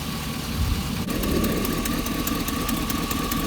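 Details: High-mileage Hummer H2 6.0 L V8 idling after a Dorman exhaust-manifold clamp bracket was fitted on the driver's side over broken manifold bolts: a steady idle with a light quick ticking, an exhaust manifold leak past a broken bolt.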